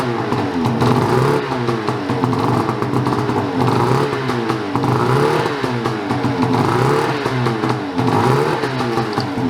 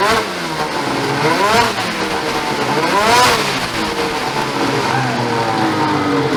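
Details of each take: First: Ski-Doo 850 turbo-modded snowmobile at minus 25: engine only lives on repeated throttle blips, revs surging and sagging unevenly, then dies; owner suspects a reed, compression check planned as it might be a piston. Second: Ski-Doo 850 turbo-modded snowmobile two-stroke after a failed reed was replaced. Crisp revs sweep up and down cleanly with no stumble, pop or misfire; running healthy.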